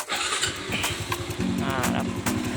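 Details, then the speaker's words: Honda Wave 110i remote-started via newly installed anti-theft alarm without key: engine catches after short crank and settles into steady, even idle putter; normal start and idle. "คือเครื่องติดแล้วนะก็คือสามารถขับขี่ได้เลยครับตามปกติครับ"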